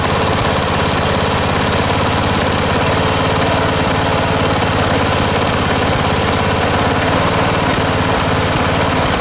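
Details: Late-1980s John Deere RX95 riding mower, after reconnecting the fuel line to the carb: fast, even chatter at a steady speed with no stumbling or surging; runs clean and healthy.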